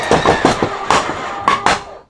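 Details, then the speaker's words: RV Schwintek slide-out drive, damaged while retracting the slide during Hurricane Helene: harsh irregular clunks and grinding bursts, about six in two seconds, as the drive strains; the column gears are stripped and skipping. "that doesn't sound good does it"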